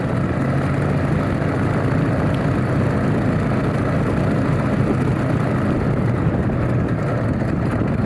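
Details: Alvis Leonides Mk 25 radial engine in a Percival P.56 Provost trainer on a ground run-up: deep, steady, even roar at higher power with propeller thrash on top and no misses or surges, a healthy normal run-up.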